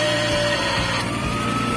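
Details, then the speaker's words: Philips blender after replacing the broken, burnt motor drive connector (blade previously would not turn), glass jar installed: steady even motor whir with no catching or stalling; running normally. "try plugging it in, just turn it on, friends, it's already spinning, you have to don't jump or break."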